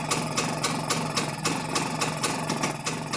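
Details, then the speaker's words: Rajdoot 175 two-stroke motorcycle, carburetor tuning for mileage: even idle popping about four per second, RPM noticeably rising as the mixture screw is adjusted in half- and quarter-turns near correct setting. "There is a noticeable increase in RPM now."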